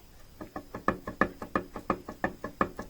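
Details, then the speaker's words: Lincoln Navigator (2nd generation) hydraulic steering rack with the worn slipper missing, worked back and forth: sharp hollow clunks about three per second. Knock with slight play because nothing presses the rack in place. "это без сухаря то есть вот это вот получается стук ну и небольшой люфт"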